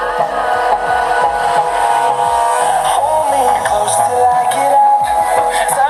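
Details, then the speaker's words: Tribit XSound Go Bluetooth speaker at full battery playing music sounds thin and harsh, with no bass and gritty crackling; the driver's rubber surround ring is probably gone. "So the sound itself is not clear. There is crackling sound. I think the ring of this speaker is gone."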